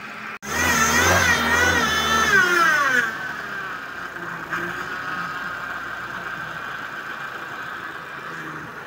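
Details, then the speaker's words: Suzuki Vitara power steering pump, engine running with the wheel turned to full lock, fluid foaming and the strainer very dirty: a wavering high whine that climbs at lock and then fades; foaming pump whine. "Kaya minsan maingay yung steering pump pag nalliko andon at leaking."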